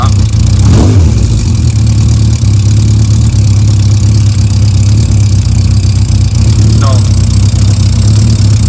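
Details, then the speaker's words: Motorcycle, nearly cold, after Sea Foam carb treatment and clutch shim: steady tick-over just under 1,000 rpm with one quick rev, light valve gear chatter, clutch rattle gone; normal idle. "But more importantly, listen to this. I mean, there's no clutch noise at all. You can hear the valve gear going, now that's what the shim's done."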